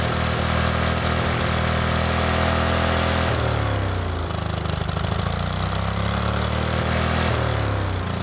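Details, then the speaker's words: Late-1990s Snapper SR1642 riding mower, sat for years, started on carb cleaner: screams at runaway full throttle from first pull because throttle linkage was left disconnected. "as soon as I fired it up the last time started on the flo first pull but instantly went full Full Throttle um that was because I had forgotten to connect the throttle linkage"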